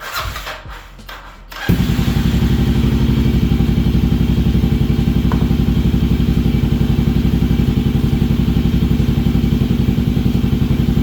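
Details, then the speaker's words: Kawasaki KLR 650 being rebuilt: after a few cranks it starts and runs a steady, even thump about four beats a second; it only runs on choke, and jetting is thought needed after a 1,000 ft altitude change. "All right, it runs. Only runs with the choke, so obviously we gotta do some jetting because I went up 1,000 feet, but here you go."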